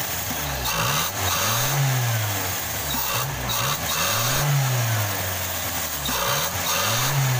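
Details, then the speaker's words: Toyota Kijang Krista (5K/7K) that ran rough and lacked power, after replacement of the dead cylinder-1 spark plug: engine blips up and back down to a settled idle, picking up cleanly each time with no stumble or misfire; normal running. "oke ini suaranya harus lagi udah enggak pincang lagi ya"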